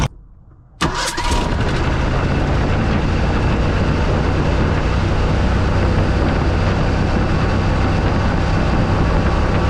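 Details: Mercury Bobcat Villager after the exhaust leak was sealed with a pipe plug: cranks, catches and settles to a steady, even hot idle with no exhaust puffing or ticking. The owner still dislikes the idle and plans to adjust it. Normal idle.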